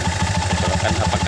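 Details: Honda Mega Pro single, run in neutral with the battery negative disconnected. It gives a steady, even low thumping with quick regular pulses and no misses or knocks, a normal idle.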